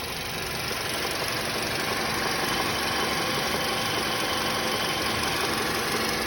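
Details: 2016 VW Passat B7 1.8 TSI petrol at idle: busy hissy sound with a loosely regular tapping about three beats a second, a weird noise from the passenger side, cause unknown.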